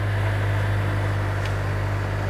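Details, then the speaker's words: Florida saltwater flood car, underside wiring showing no corrosion, just after starting right up: steady low even hum with no knocks or ticks, settling into a smooth idle; traction control light on, no check engine light; normal idle. "sounds very healthy it does have a traction control light on"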